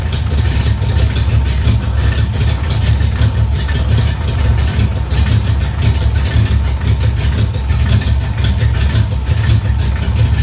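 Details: 1994 GT at idle: loud steady rumble with a rapid, even ticking puff, like exhaust escaping before the muffler. An exhaust leak is suspected, not confirmed.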